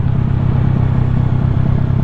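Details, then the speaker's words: Warm engine idling: even, steady low putter with regular firing beat, no knocks or rattles; once warmed up the idle becomes quieter; normal warm idle. "Pasin ko lang sa kanya pagka nag-init na yung makina niya, nagiging tahimik na yung minor niya."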